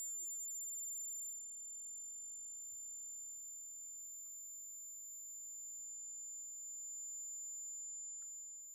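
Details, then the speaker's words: Smaller of two large homemade Joule-Thief-style coils charging a 63-volt capacitor: faint, steady, very high-pitched ringing that starts above battery voltage; it charges faster and current drops as it quietens, and the ringing then stops while it keeps charging. Normal coil ringing. "Still hearing a ring. Still ringing. Seems to start to charge faster here too as it gets quieter."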